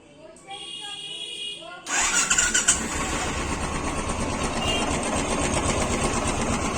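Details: Royal Enfield Bullet BS4 single-cylinder motorcycle starting and idling: light even tick riding over the thump; suspected loose valve tappet noise, not confirmed.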